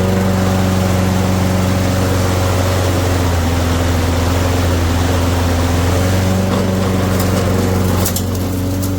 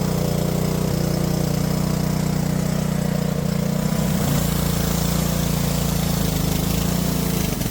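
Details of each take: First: Junked Toro mower with a ready-start (no prime, no choke) single-cylinder engine, freshly fueled, started first pull; holds a steady, smooth, unbroken drone with no misses or knocks. Normal running. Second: Junked Honda-powered Homelite pressure washer after carb cleaning and a float-valve check runs steady, then its pitch wobbles and hunts before settling; the owner suspects bad gas and refills with fresh fuel. Surging.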